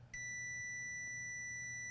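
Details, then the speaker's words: PS5 motherboard that beeps then shuts off: after the Panasonic chip was removed, the multimeter in continuity mode gives a steady, unbroken beep. The rail is still shorted, so the chip was not the cause. "look at this we have a short again hmm the problem is not the Panasonic chip same problem"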